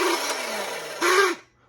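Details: Montgomery Ward Powr Kraft 2-speed polisher sander from a thrift store, before repair: harsh, rough whirring motor drone with coarse gear rasp winding down at switch-off; bearings needed oil, gearbox needed grease, handle mounts loose in plastic.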